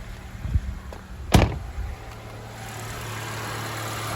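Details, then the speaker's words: 2017 Honda HR-V after replacing the serpentine belt, belt tensioner and idler pulley (the noisy idler pulley was the cause): engine starts after a door thunk and holds a smooth, steady idle with no squeal or chirp; normal idle. "okay no more sound so that's how you change a serpentine belt and a belt tensioner on your 2017 honda hrv see you next time on my channel i just fix it myself"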